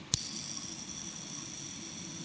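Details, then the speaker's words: Yo-yo bearing after cleaning with Zippo lighter fluid, flicked by hand: thin, steady high ringing spinning about two seconds, clean free-running bearing; spins shorter before the fluid fully dries. "It’ll spin in short bursts, but once the lighter fluid dries properly inside, you’ll hear the bearing balls rolling for longer."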